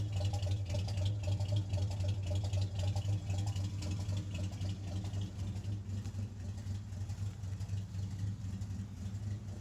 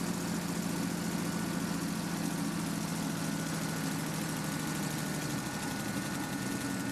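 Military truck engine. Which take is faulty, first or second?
first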